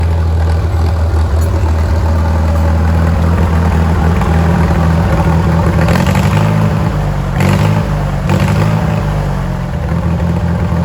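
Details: Farmall M tractor, running and smoky: low, lumpy beat with uneven stumbles and surging as it revs; misfiring on a cylinder, cause not yet pinned down.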